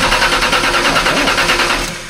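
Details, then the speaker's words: Stroked 408 Windsor in a Fox-body car after moving the battery from the trunk back under the hood, MSD ignition unhooked; quick, even starter whirr with rapid regular compression beats, no sag or struggle; strong, normal cranking. "that's totally different that's way better it's night and day totally different let's try one more time it's not even struggling"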